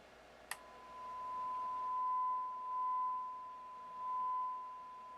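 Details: Onkyo TX-810 receiver (late 80s/early 90s) with intermittent left channel, generator test tone at low level: clean unbroken steady tone after switch-on click, swelling with level, no dropouts; output healthy.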